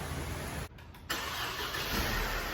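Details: Mercedes C180 after replacing the faulty intake camshaft variable pulley that caused a noise on start-up: quick crank, clean catch, then smooth steady idle with no rattle or ticking; normal start.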